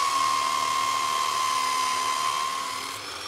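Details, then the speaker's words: Normal motor under load: a Nirey KE280 belt knife sharpener with a knife drawn through under firm pressure gives a steady high whine holding one pitch for three seconds, with no sag as the load goes on. "Listen to the noise of the motor. It is clearly under load but not slowing its rotation speed."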